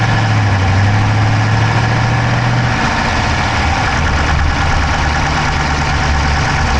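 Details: Dodge Charger Hemi V8 at idle, recorded inside the driver's-side engine bay: a quick, light tapping faster than the firing beat. There is no smoke from the exhaust, so the owner doubts a dropped valve; cause unknown.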